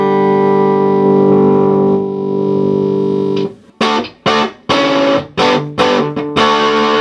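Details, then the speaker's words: Selmer TruVoice TV15 valve guitar amp (circa 1950; U31, KT33C, KTZ63 valves) after fixing two manufacturing faults, mains wiring and a wrong-value tone pot: guitar chords ring loud and full, clean sustain breaking into smooth overdrive, no hum or crackle; healthy amp. "oh it sounds like it's supposed to sound now all the controls work the tone control works now for treble so a good range now of a tone and the volume control goes up a lot of overdrive so you don't need it out full"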